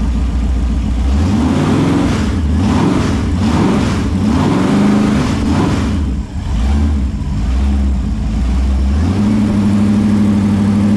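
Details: Holden 253 V8 on a bench test after a freshen-up: new bearings, honed bores, new rings, Yella Terra heads, new timing chain. Deep, even idle burble with clean throttle blips that rise and settle smoothly. No knocks or ticks; normal, healthy engine.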